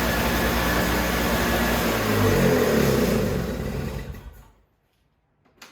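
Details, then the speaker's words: Toro CCR3000GTS single-stage snowblower (5 hp Suzuki engine, 20-inch cut) restarted after fuel stabilizer is added for summer storage: steady small-engine drone at even speed, then shut off and winding down. It starts easily and runs normally. "I like to start it again just to make sure that it's starting easy, just so I remember next year if I have any issues when it starts."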